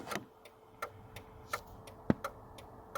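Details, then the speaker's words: 2004 Ford Ranger with LED switchback bulbs, new flasher relay installed and mounted on metal plate, which accentuates the sound: crisp, even clicks about 85 per minute in quiet cab; normal turn signal rate, no hyper-flash. "I can so literally just attaching it to that metal plate accentuated the sound"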